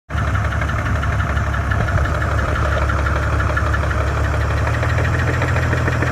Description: E46 bmw 330i M54, ticking started quite then knocking kicked in and started getting louder.